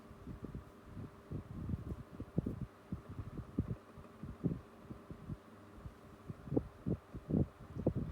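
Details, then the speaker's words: 1990s Tefal 12-inch desk fan, medium speed: low hum with uneven soft thumps about twice a second over an otherwise smooth quiet run; slight motor knock. "I can hear that the motor's got a little bit of a knock in it, but apart from that, still sounds smooth as silk."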